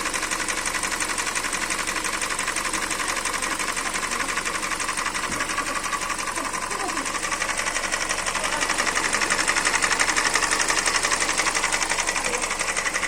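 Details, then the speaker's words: 2013 Hyundai Elantra 1.8 engine: fast even clatter over the running engine at a constant beat; engine knock, cause not pinned down. "Hyundai Elantra 1.8 мотор. Стук двигателя."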